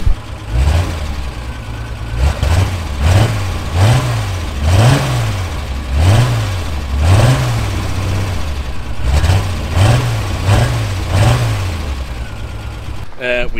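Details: Reliant six-cylinder after manifold reassembly, heard from the back: engine blips up and settles back cleanly again and again, smooth rises, no stumble, knocks or rattles; sounds healthy.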